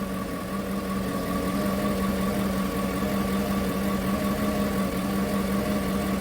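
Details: 2015 Chevrolet Tahoe V8, cold, idling unevenly with irregular stumbles; P0300 random misfire moving between cylinders, mostly cylinder 1, after recent engine work; cause found in the spark plugs.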